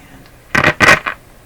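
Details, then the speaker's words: Canadian Westinghouse Model 684 radio with IF bypass, volume at full on a shortwave band: sharp crackling bursts over near silence with no background noise hiss; cause not yet found. "Lots of crackling there. Next band. So we would hope to hear that rushing sound, right, of the noise. There's nothing."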